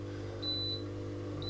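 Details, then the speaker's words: Coldis COLV12a+49dm dishwasher at the first stage of a cycle, won't start: high clear beeps about once a second over a steady low pump hum as the pump runs indefinitely; leak detector error beeping. "the pump is running which is the first part of any kind of cycle with this but it just keeps doing this be beep beep and the pump running at infinite him as it were"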